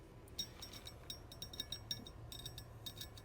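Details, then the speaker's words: Pilot bearing pulled from the flywheel of an Integra DB8 B18B1 and spun by hand, removed alongside a worn-out eBay clutch, believed to be an XTD, after not many miles: faint, irregular gritty clicks and ticks show the bearing is rough, worn and toast. "probably hear that that thing's toast so good thing we got that out"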